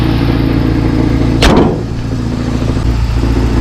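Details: 1989 Toyota 4Runner idling after broken motor mount replacement and oil change: steady, even idle with one brief handling clatter near the engine, otherwise smooth with no knocks or thumps.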